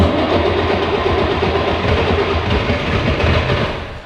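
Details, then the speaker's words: Long-abandoned 1960 Mercedes 300D diesel, freshly fuelled: brief crank on the push-start, then it catches at once and settles into an even, steady diesel clatter. "coup oh ouais mec le starter ça démarre tout de suite facile comme ça bébé"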